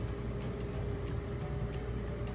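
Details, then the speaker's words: Bosch dishwasher after controller replacement, normal 90-minute cycle: low steady hum over water swishing as circulation pump starts while still filling; runs smoothly, new controller works. "the circulation motor kick in and it's still filling so it'll start moving the water around while it's filling"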